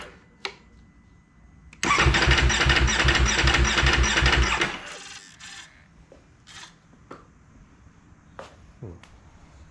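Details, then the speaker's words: 2019 Ducati Panigale V4 S cold hard-start issue, after about a week sitting; the starter spins the engine with a fast, even churning for about three seconds, then stops without catching; cause never found; cranks but no start. "so no start turn it off wait five seconds turn it back on"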